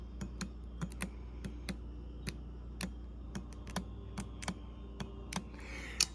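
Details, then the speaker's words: Bosch 3-channel ABS hydraulic unit from 1989 Mercedes 560SEL, bench test: normally-open solenoid valve closing and opening, sharp irregular clicks about two per second over low steady hum; operating normally. "These valves all three valves are open in normal condition. The only time when we close the valve, which would be this here,"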